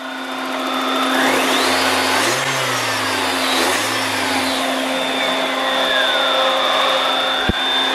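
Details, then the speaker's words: BMW 318ti restarted hot, testing its intermittent hot-restart misfire after a repair: two quick throttle blips, then a steady, even warm idle with no stumble or miss; considered fixed. "I would consider that fixed, my guy."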